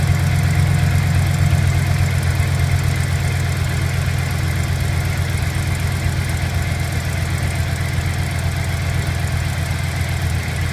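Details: 2008 Silverado V8 at cold start idle with a light, fairly regular tick over a low rumble, heard from the left side under the accelerator at low RPM.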